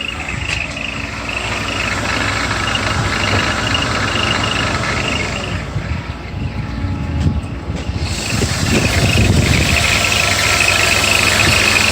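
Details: BMW E34 with the M50 engine at idle: a high, cricket-like chirp repeats about three times a second; the cause is the belt tensioner mechanism, not the rollers, whose bearings were lubricated without effect.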